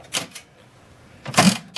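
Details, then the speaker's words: 1979 Aristocrat Esprit 4-reel mechanical slot machine after repair, door closed, 20-cent coin inserted: a few sharp, dry clunks in quick bursts with quiet gaps as reels stop and lock; normal reel mechanism operation. "Okay, have a look. Do you hear how it sort of clunk, clunk, clunk? Right, there you go."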